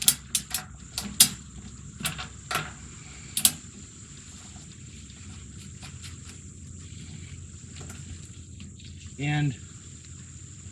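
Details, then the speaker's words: Char-Broil gas grill igniter after fitting a new igniter switch kit with battery: sharp dry snaps sparking with each button press; normal igniter clicking. "if you can hear the clicking so let's go ahead and we're going to try to light the grill"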